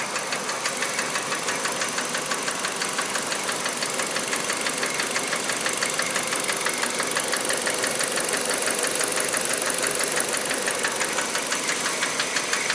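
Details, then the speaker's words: Kia Rio JB, G4EE 1.4 97 hp, automatic, Mobil 3000 oil: light regular ticking about twice a second over steady idle; owner suspects hydraulic lifters rather than injectors, cause unconfirmed. "Слышно, как форсунки работают. Не форсунки, это, извиняюсь, гидроконденсатор или что там. Вот этот звук, короче, напрягает."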